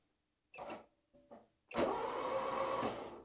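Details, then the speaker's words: Barn-find 4WD Citroen BX, first crank, no ECU connected, oiled cylinders: short hesitant bursts then steady sluggish starter whirr; slow cranking, owner suspects bad battery terminal connections. "yeah that sounds pretty okay not the fastest moving but I think the connections on the battery is really bad"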